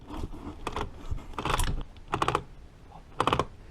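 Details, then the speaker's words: 1946 Harley Knucklehead 4-speed transmission on the bench, in neutral after kicker and throw-out bearing install: short bursts of sharp clicks as the kicker moves, ratchet still clicking; clutch not fully disengaging, so it must be reopened. "you want to turn it and make sure that ratcheting gear is ratcheting what that simulates is when the engine starts that it doesn't kick the kicker back up at you"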